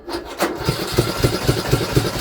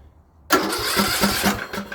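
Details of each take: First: Free Craftsman LT2000 riding mower that sat for years, cranked with no fuel: loud, rough chuffing about twice a second, far louder than normal. Owner suspects a broken exhaust or blown head gasket; the oil is overfilled, and the muffler is not the cause. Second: Craftsman LT2000 riding mower after exhaust reinstalled and blown through: catches instantly and settles into a soft, even putter with no rattle or knock; quieter than before, though governor later appeared stuck.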